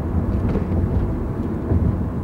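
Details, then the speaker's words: Toyota Corolla, 180-something thousand miles, original struts, cruising at 45 mph after a smooth shift: steady low road rumble with no hum, growl or groan rising with speed; wheel bearings sound healthy, no groaning. "what do I hear? Nothing. I don't hear wheel bearings that are worn out. I don't hear groaning stuff."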